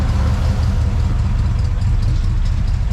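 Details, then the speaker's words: 1959 Plymouth Suburban, old Poly V8 with solid lifters, just started cold with little choke action: low, loping, uneven idle, a little clacky, sagging as if about to stall; hard starting, tired and uses oil. "Wow. A little bit clacky. Oh, it's a solid lifter motor. Yeah. Oh, that sounds awesome. She was hard to get her started, but once we got her started and run, it never really been a problem."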